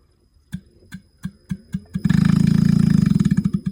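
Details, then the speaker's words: Carrier inverter AC outdoor unit after IPM replacement on the PCB (LED blinking 4 times, compressor vibration): slow heavy thumps then fast loud buzzing chatter as the compressor starts with its wiring reversed; to be corrected. "तो आप sound सुन सकते हैं कि इसने compressor को start किया है। Compressor का जो वायरिंग है वह उल्टा है। कंप्रेसर का जो वायरिंग है वह उल्टा था इसलिए साउंड बिल्कुल डिफरेंट टाइप का था।"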